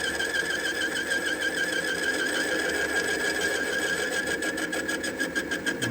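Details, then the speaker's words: Chinese lathe, boring bar sticking out far, slowly cutting threads off a bore at about 2/1000 depth: wavering high-pitched ring with an uneven, stuttering intermittent cut; long overhang causing chatter and vibration. "The boring bar, you'll hear it start cutting. You can hear the intermittent cutting, there's a lot of vibration."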